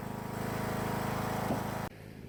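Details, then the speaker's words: Husqvarna riding mower after replacing deck spindle and pulley, belt refitted: quick, even firing pulses steady for under two seconds before cutting off; runs fine, mowing works great. "I just got done mowing a few little passes, and everything seems to be working great."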